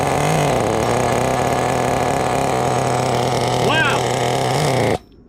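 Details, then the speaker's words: Used CEN RC nitro car, first start: small engine screams at a steady high buzz then cuts out abruptly; running super rich with lots of smoke before stalling. "wow super rich it turned off a little bit i saw a whole bunch of smoke flying out here guys incredible"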